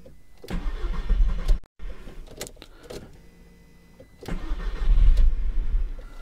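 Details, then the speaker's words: Audi TT Mk1, cold start: long cranking at about four turns a second, a pause and second try before it catches and runs slightly uneven; weak at low rpm, misfires, hard cold starting, improves as it warms. "la voiture je trouve qu'elle a un petit peu faiblarde à bas régime et à froid elle a un petit peu du mal à démarrer comme on va voir juste maintenant"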